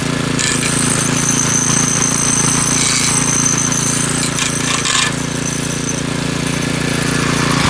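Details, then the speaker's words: McClane 3.5hp edger with Briggs & Stratton engine, revived after years sitting with a carburetor tune-up, oil change and fresh fuel, started cold. A steady, even buzz barely sags as the blade bites. Runs clean and strong and cuts a nice line. "well this edger actually uh runs pretty good and cuts a nice line and everything so i think we're just gonna get this thing cleaned up quick and wrap this video up"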